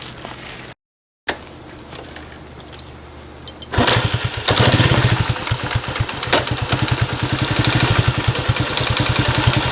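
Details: Honda Cub small single, 65,000 km, checked for abnormal engine noise with compression test: catches after cranking and settles into an uneven idle with a light, quick clicking on top; engine tick.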